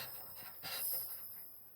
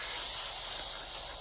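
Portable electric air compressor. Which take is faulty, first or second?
second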